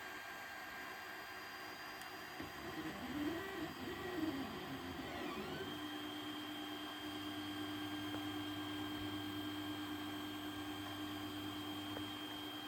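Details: 3D printer after nozzle change and bed re-levelling, earlier prints jammed and broke filament: quiet stepper whines settling to a steady tone, smooth and even; printing normally.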